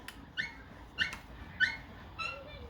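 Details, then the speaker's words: Tesla Model 3, front left upper ball joint: after lubricating with ATF-like fluid and lowering the car, four short high whimpering squeaks half a second apart as the suspension moves, "like a lost puppy"; noise went away after driving. "it's making a different sound now now it sounds like a lost puppy"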